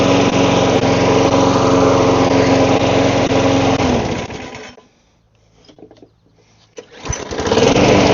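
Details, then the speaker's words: Lawn mower after carburetor cleaning and primer bulb refitted; even, steady single-cylinder drone, no misses, restarts straight away: normal running. "Alright, I guess that's going to be the end of this video. Just needed the carb cleaned."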